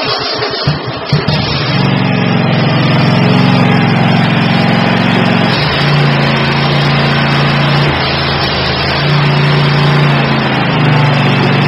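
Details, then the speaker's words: Kohler Courage 22 V-twin on a Troy-Bilt Mustang zero-turn mower, run after refitting the cylinder-two pulse line to the diaphragm fuel pump and fixing the cracked starter ring gear; steady, even drone with no misses, surging or knocks; normal running. "but it's connected now and it's together and she runs fine I'll fire her up so you can hear it"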